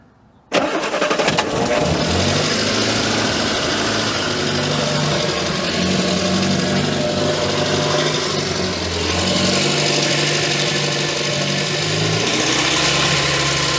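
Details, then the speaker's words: Morris Minor off the road for 9 years, first run: with a bit more choke it catches quickly and settles into an even, steady run without knocks, misses or squeals; sounds really nice, throttle not connected. "another bit of Choke beautiful that sounds really really nice"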